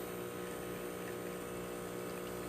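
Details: Breville Barista Express espresso machine after pump replacement and OPV adjustment: steady, even pump hum with no sputter or pitch wavering during a two-ounce shot, gauge in espresso range, some channeling; normal espresso pump operation.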